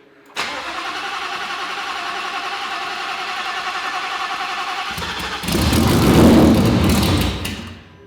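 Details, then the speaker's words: 2019 Roush Stage 3 Mustang, first start since blowing the engine: about five seconds of steady cranking before it catches and flares rough and loud, needing throttle to keep running; cam position sensor codes, suspected circuit fault, causing hard start. "it's not quite running on its own i was having to give it a little bit of throttle to keep it running we have a couple of codes for cam shaft position sensors etc"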